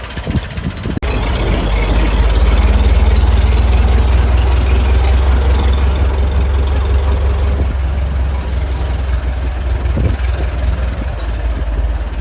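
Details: Restored 1921 American LaFrance fire engine driven down the street: a slow, even four-cylinder beat of roughly 160 pulses a minute, steady and unhurried, no knocks or misses; fine restoration, healthy normal running.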